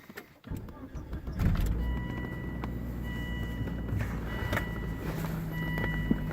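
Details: Car audio with aftermarket amp adapter, ignition on then engine running: thin, steady high whine at a few fixed pitches through the speakers; multiple grounds tried without change, owner suspects a bad amp adapter.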